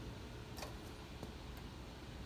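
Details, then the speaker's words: Nissan Titan with engine off during a self-diagnostic test, after headlight test and before condenser fan test: faint single sharp click as the AC compressor clutch pulls in: normal AC compressor clutch engagement. "You can hear the AC compressor engaging."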